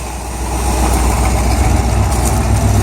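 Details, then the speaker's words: El Camino at idle, with no valvetrain noise from the top: steady low rumble with a fast uneven puffing tick about four times a second. A slight exhaust leak. "a slight exhaust leak here too but not a big one"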